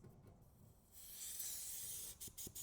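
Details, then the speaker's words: HVAC service port opened after pulling a vacuum, to remove the valve core by loosening it: sudden steady hiss of air rushing into the evacuated system, vacuum lost and must be pulled again. "You see, there was a suction inside. So, now air is going inside there. Air is going inside."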